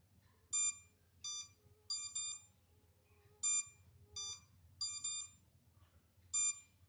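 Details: MJX Bugs 3 drone left on without transmitter connected, minutes later: shrill electronic beeps in short bursts every couple of seconds over near silence; lost-transmitter locator warning alarm.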